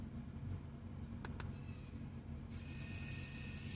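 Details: 2014 Audi A4 electric parking brake retracting for a brake pad change, commanded via Foxwell OBD2 scanner: faint, steady single-pitch electric motor whine starting partway through. Normal EPB motor retraction.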